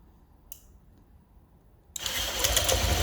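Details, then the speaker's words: 2018 Honda PCX with 1,178 miles, first start after adjusting intake and exhaust valves that were both too tight: catches and settles into a soft, even idle with no valve tick. Quiet and healthy. "I think it sounds very quiet"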